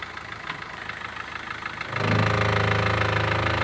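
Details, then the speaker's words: Mahindra Verito diesel, reverse gear engaged: quiet running then sudden steady rapid rattle-knock as drive takes up; lower gearbox mount broken and bent back, hitting body and steering box; fix is replacing the mount. "അപ്പോൊ complaint കണ്ടോ ആ mounting ഒടിഞ്ഞിട്ട് പുറകോട്ട് മടങ്ങി ആ ഒരു ബോഡിയിൽ തട്ടുന്നുണ്ട് അതെ steering ബോക്സും തട്ടുന്നുണ്ട്"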